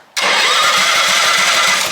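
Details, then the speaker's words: Half-scale NASCAR Mini Cup race car, first start attempt: steady starter whir with even compression thumps about ten a second and no firing. It cranks but won't start because the on/off switch of the two-switch setup was off, so there is no spark. "Turns out someone hooked this up wrong. I don't know who did that. Two switch setup here. This engages the starter and this is on and off. This was off."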